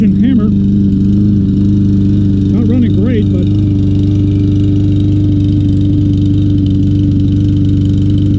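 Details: Troy-Bilt TB200 mower, 625EX 150cc Briggs & Stratton engine, long stored, after carburetor cleaner and tapping the bowl to free a stuck float: holds a wavering, lumpy idle, not smooth; rough running on old gas, float suspected stuck.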